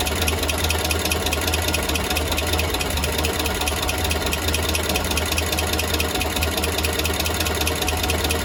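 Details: Steady idle after an exhaust leak was fixed, with loose uneven ticking about two per second over the engine hum; abnormal idle noise remains, cause unknown.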